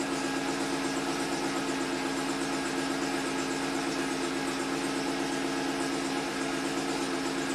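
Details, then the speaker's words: 1990 Buick Regal GS V6 idling in park after low-power fault repaired, O2 sensors warming toward closed loop: smooth, even idle hum with a steady low tone, no misses or knocks. "oh this car is so happy now all right so everything is looking absolutely beautiful"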